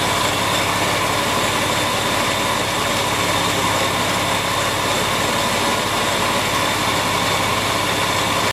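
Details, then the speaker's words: Porsche 911 996 C4S, stethoscope on pulleys at idle: steady whirring with vibration felt by hand; worn tensioner pulley bearing found, not idler, water pump or alternator. "so this is a good bearing you listen to this I can actually feel the vibration through my hand so but slightly annoyingly it's actually the uh tensional pulley"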